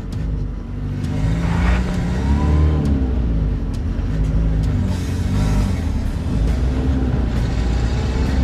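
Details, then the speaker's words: 2001 Toyota Hilux SR5 2.8 diesel, pre-teardown check: wavering low groan rising and falling over steady diesel rumble, coming from the clutch pedal as it's worked, recurring after sitting still a while. "eu posso estar essa gemido agora de novo é o pedal de embreagem Olá de embreagem"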